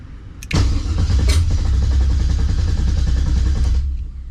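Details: 1970 Monte Carlo LS swap, ACES Jackpot LS EFI initial startup, second attempt with a little throttle. Steady fast cranking about four beats a second, engine never catches; fuel pressure 58, system still creating its map tune.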